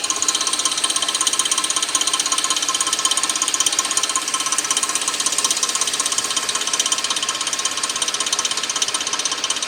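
Sharp, crisp ticking about two to three a second, very regular and steady throughout, a ratchety mechanical clatter; cause not identified.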